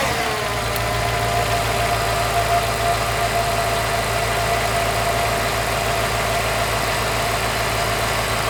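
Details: Lifted Jeep Limited, just back running after months of repairs, recorded with the camera set up to hear the start: engine catches quickly and settles into a steady, even idle with no ticking, knocking or misses; healthy.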